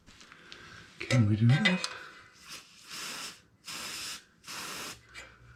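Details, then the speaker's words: 2021-2022 Euro 5 Royal Enfield Himalayan rear suspension pushed down by hand after greasing the dogbone links: short squeaky groan with hissing; noise persisted, later traced to the dry swing arm pivot shaft. "I don't know. No. What the hell? Where is that noise coming from? That is one weird thing."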